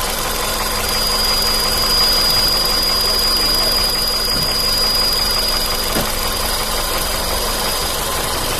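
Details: 2012 Polo petrol engine idling evenly with a thin, steady high whistle or ringing squeal from under the hood; the owner cannot tell where it comes from.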